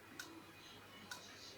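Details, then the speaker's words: Laptop hard drive reported by an engineer as knocking, connected to a laptop. Faint sharp clicks repeat cyclically about once a second, and the drive is not detected. A failing drive with head knocking. "Как вы можете слышать что-то внутри стучит клацает"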